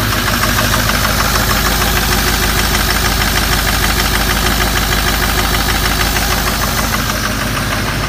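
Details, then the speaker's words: 2005 diesel truck with 115,000 miles, first start after a head stud job, coolant drained: even, regular idle clatter about three beats a second with no misses or stumbles; healthy idle. "it's the first fire up after head"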